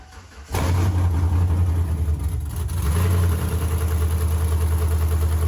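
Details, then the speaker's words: Cold start of a lifted 2007-13 Chevrolet Silverado V8 with BTR Truck Norris cam, DOD delete and 1-3/4 long-tube headers, open headers, not yet tuned: catches after brief crank, settles into very loud, choppy, lopey idle; normal. "I'll go ahead and give it a cold start. It's open header, so it's extremely loud."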